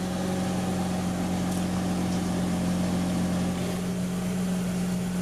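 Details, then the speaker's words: Mazda RX-8 rotary after engine rebuild, running once work was finished; smooth, steady buzzing idle with a constant low drone and no misses or surging, running fine. Oil temperature, oil pressure and water temperature gauges not yet working. "so as you can see the baby's running we have oil temperature oil pressure and water temperature but it's not working yet"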